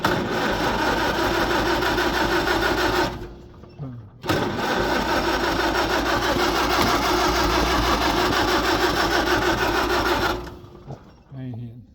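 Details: Farmall H tractor, carb drained of gas, gas on; retry still won't fire. Two long stretches of steady rapid cranking, about three turns a second, no catch: turns over but no start.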